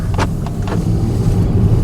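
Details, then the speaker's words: Mercedes-Benz C300 after repair of a failed front driveshaft whose front U-joint came apart, which also damaged heat shields, an O2 sensor and the catalytic converter: steady low road rumble, even drive note, no clunks or vibration, and the car runs well again. "But hey, the car runs again. It actually runs pretty good."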